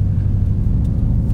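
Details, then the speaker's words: Nissan Titan V8 driving after rear cats deleted and front passenger cat found self-gutted, previously clogged and limited to 20–30 mph, no check engine light: deep, steady, even exhaust rumble with no stumble or rattle; runs like a champ. "now it runs like a champ. Sounds good too."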